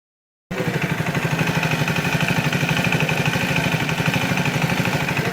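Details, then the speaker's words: Brand-new Triumph Speed 400 single-cylinder, 15 days old, after 1-2 km riding: steady light tapping about three per second over even idle, growing after riding; owner suspects valve shim or timing chain noise, unconfirmed. "तो मैंने निकाल के 1-2 kilometre चलाया तो फिर से वो आवाज़ tap tap tap tap tap tap का जो नॉइज़ आता है।"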